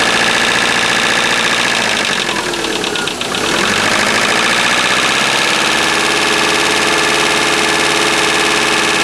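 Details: Subaru EJ25 flat-four at idle: a quick, steady knock of about three to four beats a second; owner unsure whether it is piston slap or rod bearings.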